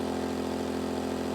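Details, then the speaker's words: Gentrax 800W compact generator under full load at 700 watts: a steady, constant hum holds one pitch with no surging or knocking, about 68 decibels; normal running under load. "The Gentrax is currently putting out 700 watt at the moment, and we can see that noise level jump all the way up to 68 decibels."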